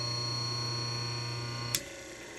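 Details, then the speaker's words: Antique 100-plus-year-old GE 1/6 hp wound-rotor induction motor after its first test run following contact-plate cleaning. A steady hum fades as it winds down, then a sharp click as the centrifugal switch clicks off: normal coast-down. "Listen to the wind down. Okay, the centrifugal, you hear that? The centrifugal switch clicks off."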